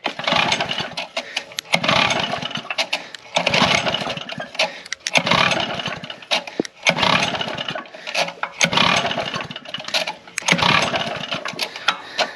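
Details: Lawn edger after five months unused, new spark plug and changed fuel, has compression but no spark: repeated recoil pulls about every second and a half, spins over but never catches, choked then off choke.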